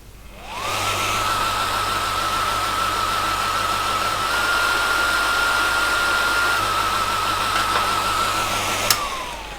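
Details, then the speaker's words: ASR33 Teletype motor drawing excess current, start winding relay contacts stuck closed so the start winding stays in circuit: loud hum with a wavering surge, unable to reach speed; it accelerates once the contact opens. "you can hear the motor surging as it's trying to go into normal operation but it can't because the start winding is permanently in circuit"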